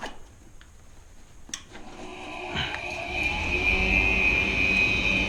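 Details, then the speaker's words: Gas furnace repaired for no heat (bad gas valve found) firing up: after a click the combustion inducer fan spins up into a loud, steady high-pitched squeal from worn bearings, near end of life, the next part to fail. "listen to that combustion fan that is the sound of a combustion fan or you know inducer motor fan this guy here that's the sound of a fan that doesn't have much more lifespan left in it you can hear those bearings are kind of loud and squeaky"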